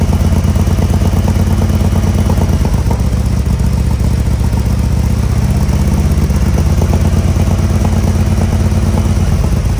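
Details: 2020 Harley-Davidson Road Glide Special with fresh 128" big bore kit, first start after oil priming, before dyno tune: deep, loping V-twin idle with steady low thumps, no knocks or rattles, some smoke; normal idle.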